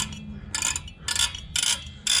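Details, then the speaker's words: 2006 Toyota Tundra rear drum brake being reassembled. Short bursts of crisp metallic clicking about every half second as the star wheel is turned; the adjuster ratchets one way only, as it should. "And you can hear it's allowing me to adjust it, but it will not allow me to do it the other way."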